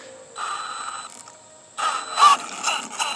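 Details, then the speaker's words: Arrma Kraton 6S RC car after bashing: thin high steady whine of the motor spinning freely without driving; owner suspects a thrown pinion gear or a lost set screw. "it sounds like we threw the pinion gear or that little tiny allen key came out but i can hear it just spinning"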